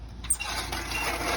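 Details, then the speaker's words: Reel lawnmower after adjusting the blade-to-bedknife gap to about a sheet of paper: a light, even clicking whir with no scraping or catching. Now cutting properly. "of the lawnmower, and you also see it's working. It now is working properly."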